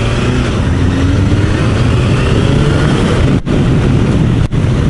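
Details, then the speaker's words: Honda CBR1000F on its first ride after a tune-up, service, carburetor balancing, new tires and new exhaust baffles: a steady, even four-cylinder drone at road speed with no misses, two brief gaps at gear changes; runs smooth and healthy. "yeah, it sounds good, goes good."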